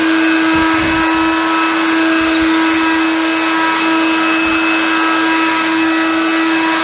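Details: Hoover Convertible Dial-A-Matic U1124A upright vacuum, after removing leftover filter medium: steady, even motor whine at constant pitch with no surging or rattling, running normally.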